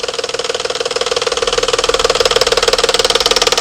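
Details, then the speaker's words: 2011–2012 Dodge Charger 3.6 Pentastar V6, cold start at idle; loud steady diesel-like tapping about four a second, up top, then stops suddenly; suspected cam phaser, not valvetrain, not confirmed. "typically you get that noise first thing in the morning uh cold it was just started tapping all right uh-oh y'all here i hate it ladies and gentlemen that is not a val train ticket noise"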